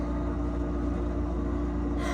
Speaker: You guys, do you hear this loud fridge? It's supposed to be going away today.